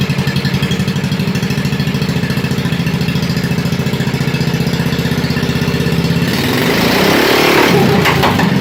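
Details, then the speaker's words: 1987 Wheel Horse 211-4 mud mower, single-cylinder with snorkel, fast idle while warming up: uneven thumping that roughens as revs change. Owner suspects a jetting issue; he thinks it runs lean, but slight smoke suggests rich, possibly because the carburetor isn't suited to the snorkel's flow. "still has a little bit of a jetting issue I think it's running a bit lean it smokes a little so it kind of indicates that it's running rich"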